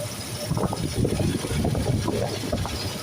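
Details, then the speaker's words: Toyota 3VZ-E with the AC compressor tensioner pulley removed: a low, even idle rumble with no howl or whine. The earlier howling came from that pulley and stopped once it was removed. "And so when I removed it, it's since stopped. So, it's no longer howling."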